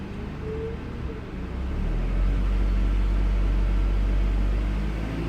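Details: Low engine drone with a faint, uneven pulse about four times a second; misfire, cause not confirmed.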